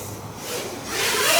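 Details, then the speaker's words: 1-3S ultra-light micro quad on Betaflight 4.3, tuning with sliders near upper end: thin high motor whine with fast trembling trill/oscillation, heard through roll snaps and throttle; oscillation from excessive P gain. "you can see the quad is happy again it's not trying to fly away on me but you can hear all that trilling or fast oscillation"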